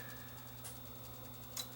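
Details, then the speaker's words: Hotronic AP41 NTSC time base corrector: quiet hum with a sharp relay click about once a second as the unit keeps pulsing instead of starting; power supply fault, suspected from failing 2200 µF 10 V capacitors. "you can hear it click click click click that's the relay over here clicking"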